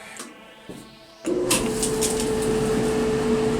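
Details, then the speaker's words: Dryer after repair of its ticking, clunking noise: a click, then steady hum and even drum whir with no ticking or clunking; normal running. "And we're good to go. No more crazy noises."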